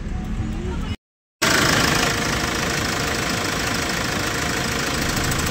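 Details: Hyundai Porter 2 D4CB Euro 4 diesel with low power: idle with rapid uneven chuffing puff over clatter; leaking injector washer causing combustion blow-by, fixed by replacing injector washers.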